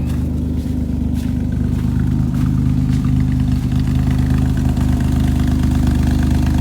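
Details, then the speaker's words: 1983 Monte Carlo G-body V8 with computer-controlled carburetor, off the road about 10 years, slight antifreeze leak: a deep, loud, throaty steady idle with no ticking or knocking; the raspy, blown-exhaust note is just the glass-pack muffler. "With the glass pack, I mean, it just sounds like it's got blown exhaust. That's about it."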